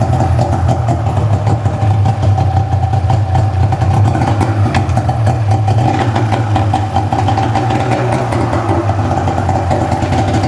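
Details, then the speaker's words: Ski-Doo two-stroke snowmobile, 17,000 km, just rebuilt with new pistons and gaskets, fresh synthetic oil, coolant topped up, choke on: fires right up into crisp steady burble, no misses or knocks; idles healthy. "She fires right up though, she sounds really good."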